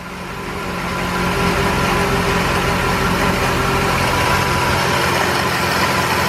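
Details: 1968 BMW 1602 first start after over 10 years sitting, on jack stands, choke over halfway off, small carburetor: engine catches after debris blows from exhaust and settles into a lumpy, uneven idle; rough running, radiator dripping slightly.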